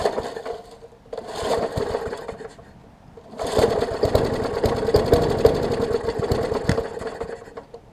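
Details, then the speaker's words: Murray 20-inch 3.75 hp push mower, long dormant with freed stuck intake valve: two bursts of pull-cord cranking with rough sputtering catch that never settles; tries but won't start, owner suspects spark plug or water/debris in combustion chamber. "so i know it's an issue with the uh either like i said either spark plug or something in the spark chamber because it's trying but it's like water or debris or something's interfering with it"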